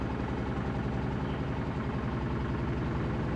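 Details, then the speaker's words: 2000 Toyota Celica GT 1.8L with codes P0302/P0300, in Drive under load: lumpy, stumbling idle as cylinders two and three misfire, from a dead cylinder two and weak spark on three; misfire under load. "all right so this is in Drive see number two and three are misfiring at the moment now"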